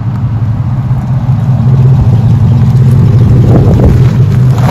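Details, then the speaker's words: 2007 Chevrolet Silverado after fuel pump replacement: low steady engine drone that holds without stumbling or cutting off, then picks up a little; engine running normally, repair fixed the cutting out. "working now not cutting off so you know i mean we're good"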